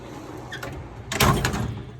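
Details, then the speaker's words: US General tool box drawer before the rivet modification. One quick, even rolling slide with a soft stop and no squeak or grinding; the drawer already slides nicely. "but that drawer does slide nice already so it can only get better than that and that's not bad"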